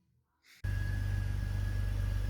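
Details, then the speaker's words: BMW 330 E46 M54B30 after regluing a loose valve and reconnecting the booster hose: catches and settles into a steady, even idle with no hunting; sounds much smoother, though lambda sensors are still disconnected; smooth idle. "Now it sounds like a totally different car. Runs a lot smoother."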